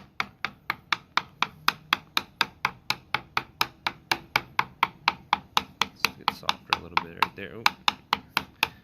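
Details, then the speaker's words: Tapping test on an old fiberglass boat hatch with a wood core: steady taps sound dull and thumping over rotted core and sharp and pingy over good fiberglass. The rotten wood core will be replaced with Divinycell. "you hear it kind of like the the kind of like a sharp pinging sound or it's a like more of a dull thumping sound and then as you transfer into like the good fiberglass you can hear it changing and it's a lot more sharp and pingy"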